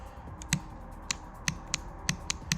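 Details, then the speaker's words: BMW E39 M5 VANOS rebuild: a VANOS solenoid valve is bench-pulsed with a special BMW voltage tool, giving sharp crisp clicks every quarter to half second. The membrane moves and oil shoots out; the solenoid is opening and closing normally. "What's it gonna do is it's gonna send right amount of voltage to check the valve if it's functioning, opening and closing."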